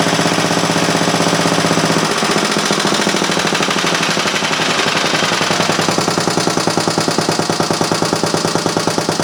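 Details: Restored Briggs & Stratton Model A single-cylinder engine, with an inline fuel filter added (no sediment bowl, tank had gooey deposits), on the bench: rapid, crisp firing beats about three a second, steady and even; running cleanly.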